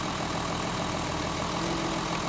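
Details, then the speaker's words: Mercedes 280 SE just out of storage, missing and shaking on the road, cylinder-by-cylinder plug-wire pull test at idle: slightly lumpy idle with a regular soft stumble; pulling number two's wire barely changes RPM, so cylinder two is dead. "all right maybe a slight but I tell you there's pretty much no change on number two"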